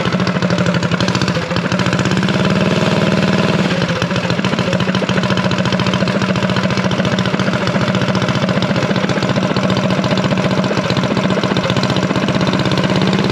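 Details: Unknown-history junk single-cylinder go-kart engine just revived and started on choke, held at a fast idle around 2200 rpm for break-in: a fast, even putter with no knocking or hunting. It sounds healthy.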